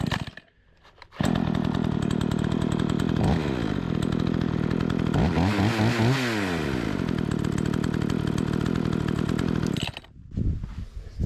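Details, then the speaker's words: Remington 46cc two-stroke chainsaw after new fuel line, carburetor cleaning, new primer bulb, tuning and chain sharpening; strong buzz under load, bogging slightly and recovering as chain cuts wood; running clean, cutting well. "obviously it's cutting cutting good"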